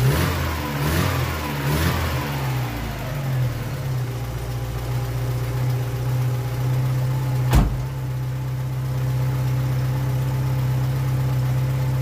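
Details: Old VW Polo engine after valve cover work and fresh 15W-40 oil: a quick throttle blip drops back to a smooth, even, low-humming idle. It sounds good again and is still to be run in over a few days.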